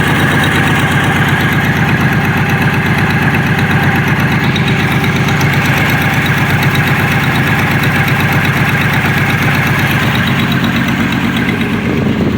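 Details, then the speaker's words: GP at idle after exhaust work: a rapid, uneven puffing tick about three times a second over the exhaust note, quieter than before; exhaust leaks still present. "Definitely still sounds like there's an exhaust lead."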